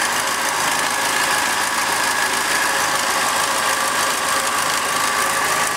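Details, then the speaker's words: Second-hand Triumph Dolomite 1300 engine just fitted to a Gentry MG TF Replica, first start, warming toward temperature and burning spilt oil off the manifold: steady, even idle with no misses or knocks, fairly clean exhaust, sounds like a good engine. "Actually sounds like quite a good engine. I'll just let it burn all this oil off."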